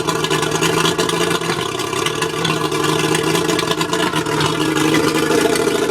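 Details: Mercury 135 outboard idling roughly: ragged, stumbling beat instead of a smooth hum, sounds like a misfire. Spark plugs suspected, not confirmed.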